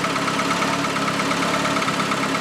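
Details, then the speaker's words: Newly built Saab engine aiming for 500 hp, on its first start-up before break-in: a steady but imperfect idle while the ECU adapts, with a fast, light ticking on top. Hydraulic tappets tick until oil pressure builds and lubricates them. "the ticking noise is the tappets. As soon as the oil pressure is high enough and they are lubed up, it will be quiet."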